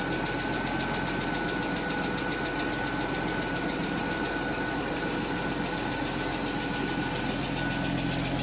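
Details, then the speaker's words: 1991 Mercedes 190E, warm quiet idle: light fast lifter ticking over engine hum fading away as the hydraulic lifters pump up; lifter tick clearing. "yeah once that last lifter lift okay that's it that's it that's it that's it so at this point I actually have a decently quiet exhaust uhhuh this are going to quiet down see they're going away the sound is going away"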